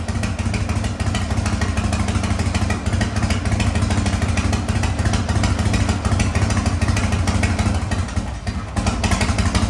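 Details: 1985 Harley-Davidson FXRS Evo, sat five years, just fitted with a different carburetor after suspected air issue, running fuel with some oil mixed in and smoking heavily: loud, fairly even loping V-twin idle with a brief dip near the end.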